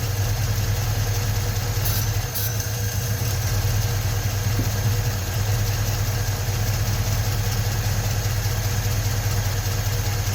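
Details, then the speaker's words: 1956 Ford truck, 45,000 original miles, just started after 40+ years sitting with new rebuilt starter: steady, even low idle without knocking, banging or misses; normal idle, battery light on. "And there we go. Pretty good. I don't hear any knocking or banging."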